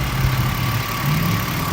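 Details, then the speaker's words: 2005 BMW X5 3.0i after replacing aftermarket coil packs with genuine BMW junkyard ones to cure a cylinder 3 misfire and lean code: steady, even idle with no stumbles and no check engine light. "My computer now, no check engine light. My computer recognizes these coil packs. So, we go under the hood and it's running smooth."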